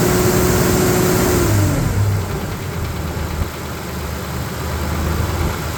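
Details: Newly rebuilt Nissan Navara EP31 VG30 V6, warming up, timing not yet set (distributor fitted to old witness marks): faint, fairly even light tap after a rev drops back to idle; owner worried, cause unknown.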